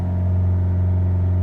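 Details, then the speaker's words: 2005 Land Rover Freelander TD4 diesel in limp mode with code P1260 (fuel pressure control), in neutral at full throttle: holds one flat, steady drone and won't rev higher, little boost though the turbo is heard spooling. "there and if there is no power really there is no boost I can hear the to look kind of spooling"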